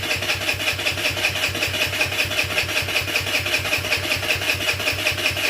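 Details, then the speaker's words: GY6 50cc scooter/mini sport bike with newly fitted carburetor: steady starter churning about two and a half beats a second with no firing, starved of fuel; owner plans starter fluid; hard starting. "i'm gonna have to get a little bit of starter fluid to get her going we'll see"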